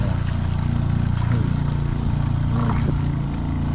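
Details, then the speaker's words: Shurflo RV water pump, pressure switch adjusted by turning screw: steady low pulsing hum about three beats a second continuing with no tap open; switch misadjusted causing run-on. "Okay, it took 4 seconds from the time you turned it on till the pump started, and it took 4 seconds"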